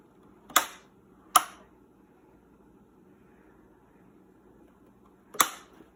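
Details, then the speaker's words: Amana washing machine that overfills, water level pressure switch tested via its air hose: three crisp sharp clicks at uneven spacing in a quiet room; hose good and switch working, fault lies elsewhere (possibly insufficient voltage suspected). "so the hose is good the switch is working"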